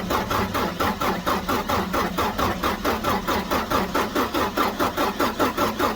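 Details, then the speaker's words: 2007 Ford F650 with 5.9 Cummins diesel after turbo silencer ring removal: steady idle with even pulsing clatter and a light turbo whistle on top; turbo sounds normal at idle. "so I'm gonna crank this up and let you all hear the whistle on here and maybe I won't blow up my engine or nothing"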